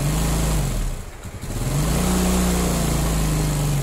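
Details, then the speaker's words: Yamaha Mio Sporty scooter after fixing hard starting by resetting too-tight valve clearance: catches after a brief dip, settles into even, steady low putter with no misses or ticking; normal running after repair. "nah I am long tuh motornya bisa hidup kembali ternyata kendalanya ada di setelan klep Yang rapat"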